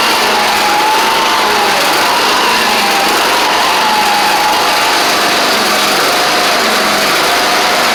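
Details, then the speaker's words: Craftsman DYT4000 riding mower running after a suspected faulty seat safety switch: loud steady small-engine drone with a faint wavering whine on top; owner suspects the pulleys, maybe needing WD40, cause unconfirmed. "I don't know why it's doing that but not exactly sure could just be these pulley having issues maybe spray a little WD40 on them and get them a little quiet maybe quiet them down"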